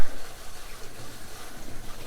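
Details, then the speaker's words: Viqua IHS-12 D4 UV water purification system with micron/sediment and charcoal pre-filters on new PEX plumbing, water turned on after install: soft, steady rush and trickle with no hiss or spurting as the filter housings fill normally. "so now let's turn the water on and see what we got so first i'll turn this on and then [Music] these two so you can hear it filling"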